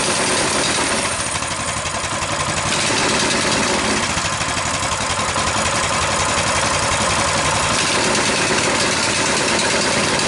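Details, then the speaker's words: Coleman BT200X minibike that runs full throttle since being crashed and tipped in mud: loud, steady fast buzz never dropping to idle; the governor arm won't pull back, spring looks stretched. "we observe that when the engine is running this Governor isn't pulling back enough to let the engine idle there's always this constant tension on here"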